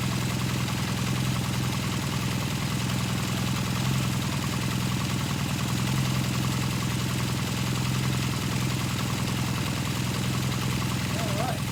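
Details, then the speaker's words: 1978 Kawasaki KZ400 twin, just fitted with exhaust and carburetors and first fired up: steady, even idle at constant pitch, a nice sound, no knocks, misses or rattles. "It's actually got a nice little sound to it."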